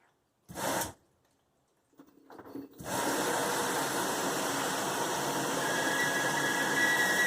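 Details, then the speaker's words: Nine-year-old LG washer, top removed, during continuous fill: steady water rush with a thin high squeal from the cold water inlet valve, suspected sediment buildup; fixed by replacing the valve. "right there there's that high-pitched squeal"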